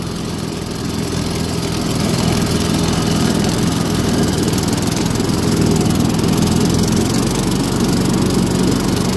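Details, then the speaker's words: Cub Cadet riding mower, maybe 200 hours, at wide-open throttle cutting wet grass after replacing a burnt deck belt; steady drone holding speed with no slipping or bogging, fixed and running healthy. "wide open background thank you so that's fixed"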